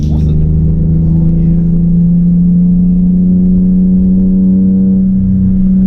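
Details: Z project car just fitted with a new starter motor after weeks sitting; smooth, even engine note at a steady pitch with no knocks, misses or rattles: normal running.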